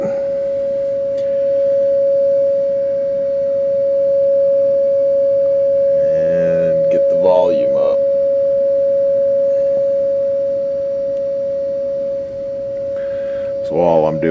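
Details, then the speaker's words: 1948 Philco 48-1274 radio, signal generator fed through the output transformer and field coil into the speaker, DC supply powering the field coil; clean, steady mid-pitch tone, slightly rising, no buzz or rattle, working. "that's just the signal generator you can hear that signal going through the speaker I hope you can hear it anyway"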